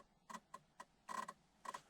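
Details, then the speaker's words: 2003–2007 Honda Accord with remote key: faint, uneven light electrical ticks, about six in two seconds, from the ignition switch area with no cranking; car won't start, needs many key attempts; steering/ignition switch fault suspected. "un ruido que sale de aquí y no arranca entonces aquí básicamente lo que pasa con este auto lo que estoy viendo aquí es que no quiere arrancar así en pocas palabras"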